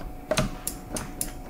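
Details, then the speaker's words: Honda Rancher ATV after brake switch replacement: crisp, consistent clicks about three a second as the lever is worked, showing the new switch is making the connection. The old switch made it sputter when started in gear. "You can hear making the connection. Okay. Okay. You guys hear that?"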